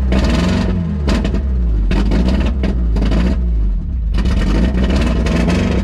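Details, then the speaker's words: 1991 Mazda Miata 1.6 L (abandoned) with chopped-off open exhaust: loud raw bark, uneven lumpy pulses and surging revs, running rough and unhappy. Owner suspects it may be out of time; unconfirmed. "so it's definitely not happy does sound like it might be out of time but it runs"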